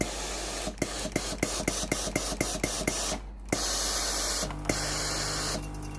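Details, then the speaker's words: Philips PSG7014 steam-generator iron after its failed water pump was replaced (the customer's complaint was no steam): quick even pump ticking, about three clicks a second, then strong bursts of steam hiss. The pump fills the boiler and steam output is normal. "ตอนนี้ไอน้ำออกปกติแล้วนะครับสรุปอาการเสียของเตาที่ยี่ห้อฟลิบนะครับอาการที่ลูกค้าแจ้งไอน้ำไม่ออกนะครับ"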